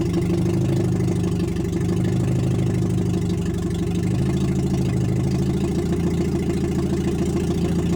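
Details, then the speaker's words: Nissan Micra K11 swapped with an SR20DE four-cylinder, running after ignition timing corrected: steady even low idle with a smooth unbroken rumble, no knocks or misses; quieter than expected, normal healthy idle. "Putain! Ah, le bruit! Ça va, je m'attendais à plus fort que ça."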